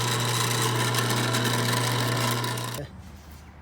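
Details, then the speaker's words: Pitco G14 double fryer filter pump and motor, cleaned, painted and reassembled, test run with finger on intake feeling suction; steady low electric hum with faint pump rasp for three seconds then winds down, noise change shows pump coupled to motor, healthy. "you can feel the the change in the in the noise that's how you can feel if the pump is is really connected together with the with the with the the motor"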